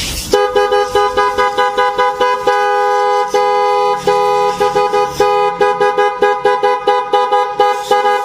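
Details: Honda Blade motorcycle after fitting dual kiong horns with a relay, mounted clear of the body cover: loud, bright two-tone blare in short toots and longer blasts, strong and clear; horns working properly.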